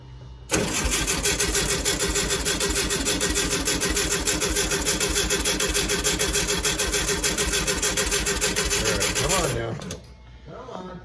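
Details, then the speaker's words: 1965 VW Beetle after a long while sitting in a garage: steady, even starter cranking for about nine seconds with no firing, no fuel reaching the filter; owner suspects a stuck carburetor float. "it's almost there almost could be that the float is stuck in the carburetor"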